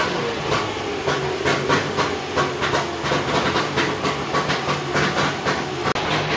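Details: Trabant Tramp/Kübel two-stroke just after its first start, smoking: a choppy popping beat a few times a second with hiss. It has just fired and is running rough but alive.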